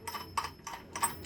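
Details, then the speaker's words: Half-HP peripheral water pump, fan turned by hand: light irregular ticking rattle in bursts as the impeller wobbles side to side with play on its rotor shaft; pump makes the same noise when running. "comoo suena bailando en el eje rotor es decir moviéndose de un lado a otro con juego"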